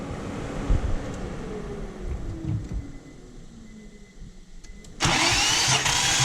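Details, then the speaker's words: Infiniti G35 VQ35 engine compression test, fuel relay pulled, plugs out: starter spins the engine quickly and evenly with no uneven beats, then a burst of air; manual range 130–185 psi, checking head gasket or rings. "So before you crank it, you want to make sure you pull your fuel relay on these cars."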